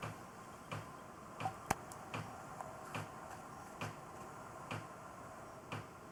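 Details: Knocking from hot water pipes when the master bath sink hot tap runs: sharp hollow ticks about once a second; suspected pipes moving and banging against walls or vent pipe for lack of rigid support, not confirmed.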